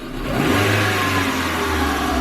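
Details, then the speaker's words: Chevrolet Matiz after an engine rebuild (valve stem seals, head gasket, skimmed block). After a quick throttle blip the revs hang and sink slowly over about two seconds with the foot off, an overrun that gets worse on repeat; cause unknown. "My foot's off it and it still does it, look, it still carries on. It still carries on for just a little bit."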